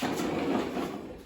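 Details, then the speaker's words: 2007 Toro Recycler self-propelled mower after installing a replacement traction cable: a rough, gritty churning under load that fades out; the self-propel transmission is failing. "oh let me set up you know on this toro um it's got a transmission going out so i'm either going to take it out make it a push mower or maybe if i can find a good good transmission for it later"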